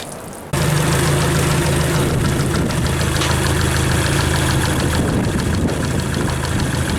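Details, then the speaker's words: Yamaha F60 outboard, warm, with a steady dull knock about four a second from the crankshaft near cylinders 3–4, on load and off throttle; unchanged with plugs 3–4 or fuel pump removed, oil pressure good, valves adjusted; suspected connecting rod. "мотор стучит как и в нагрузку так и на сбросе Газа"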